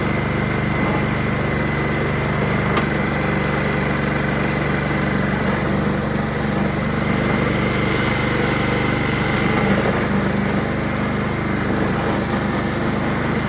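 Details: Honda HRR216 Harmony II QuadraCut push mower, no blade fitted, after starting spray: catches and holds a steady buzzing idle with no stumbles or dropouts; engine runs, normal idle.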